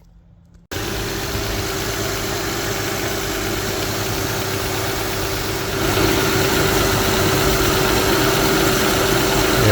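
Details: 2007 Honda Odyssey Touring 3.5 V6 after replacing the belt tensioner assembly and belt: steady, even idle hum with no bearing growl or squeal. The old tensioner bearing was audibly bad.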